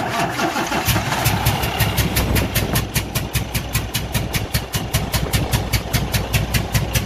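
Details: Cummins ISX15 diesel idling with an uneven beat, a hollow puff about 2.5 times a second: one cylinder misfiring from a massive compression leak, engine failure.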